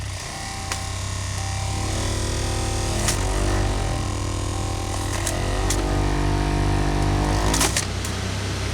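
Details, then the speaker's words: Saab heater blower just unjammed from packed ice and water: a steady hum with sharp, irregular ticks and rattles every second or two as ice chunks fly around inside the fan housing, shaking the dashboard. "Oh no. The whole dashboard's shaking. You can hear things flying around."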